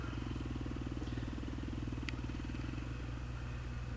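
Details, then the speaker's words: 2008 Honda CRF450R single-cylinder, carbureted, cold engine idling cleanly with an even thump about four beats a second; air/fuel ratio about 13.5–13.7 at idle. "so if Ike started idling about thirteen point five thirteen point seven and this is on a Colt this is on a cold motor"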